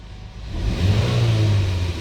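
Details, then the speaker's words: 2009 Chevrolet Malibu after idle relearn with Autel Elite scanner, fixing high idle: engine lifts smoothly off idle, holds steady deeper drone, eases back without surging or hanging; normal throttle response. "Let me just give it a little bit of throttle, and we see that it's normal now."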